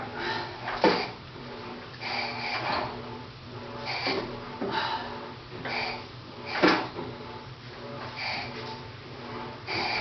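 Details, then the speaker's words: Kohler 17 hp KT Series 2 twin-cylinder engines, one believed to be from a Cub Cadet 782/682, one from a Ford LGT 17, crankshaft turned by hand; regular puff and hiss as each cylinder comes up; good compression. "I did do a basic compression check on them, and it seems like they got great compression."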